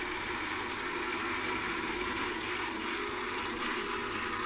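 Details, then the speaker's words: House central heating pump under test with no heating and no hot water; boiler gets hot but there is no circulation and the pump only warms up; steady harsh rushing hiss, loud for a small circulator: failing central heating pump. "And we're just testing the heating pump, which obviously controls everything. And he doesn't sound very good."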